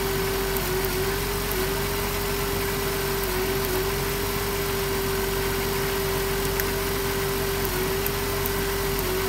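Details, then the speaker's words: 2007 Dodge Grand Caravan V6 idling: steady tone with occasional stumble from a misfire; damaged spark plug wire boot arcing, coil pack first suspected; plug wires to be replaced. "oh it's a plug wire look at that see that hogwired arcing the boots damaged we gotta replace the smoke Loop turn off the lights well that's what's going on the spark plug wires damage"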